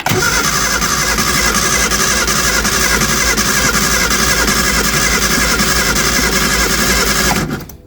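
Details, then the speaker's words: Early-2000s Reliant Supervan, fuel leak fixed, choke pushed in; starter cranks with an uneven galloping rhythm, possibly from disuse, and it never fires; owner suspects no spark; uneven cranking, no start. "a little bit of a Gallop to it that could be just where it's not been used"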